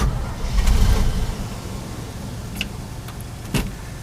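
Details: Cold 1968 Chevy 283 V8, unstarted for a couple of months, primed down the carburettor: heavy low cranking surges as if about to fire, then drops back to plain cranking; hard cold start.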